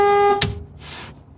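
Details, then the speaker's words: 1965 Mustang during turn signal switch replacement (wrong switch supplied, bad signal circuit): operating the switch gives a short loud two-tone horn blast cut off with a click; a miswired switch wire is feeding the horn relay, to be traced and moved. "so obviously I got something going into the horn relay, so I have to figure out which one of those that is, disconnect it, find a different one. So when I turn on my switch, I get a horn honk."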